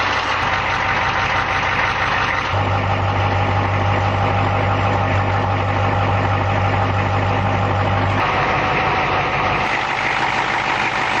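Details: 1989 Ford F150 with 1986 6.9L diesel, C6 3-speed, 2.73 gears, 4-inch true dual stacks with resonators only, cold start at -12°C: deep steady diesel clatter holding an even idle with no misses or stumbles; running healthy.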